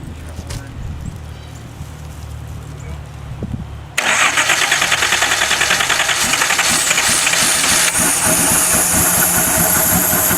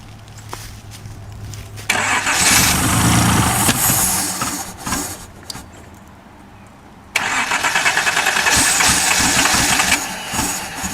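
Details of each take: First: Donor 1977/78 Datsun 280Z engine, non-emissions model with square ports, sat outside and was slightly seized, oil put in cylinders, running on old two-stroke gas from a held fuel line; cranks briefly, catches and runs steadily, slightly uneven as the throttle is modulated, smoking from the oil; normal running. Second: 1977/78 Datsun 280Z donor car, sat outside and slightly seized, oil in cylinders, fuel hand-fed through a held gas line: catches, runs ragged, drops away, picks up but never revs beyond low uneven speed; fuel-starved, smoking from oil.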